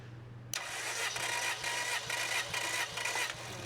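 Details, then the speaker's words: Car engine cranked by the starter during a compression test, gauge on cylinder one with the other cylinder free, five compression strokes: even, regular puffs about twice a second. Normal cranking compression. "You'll hear it now with some resistance in here on number one and the other cylinder is free. You should hear those cycles kind of go by."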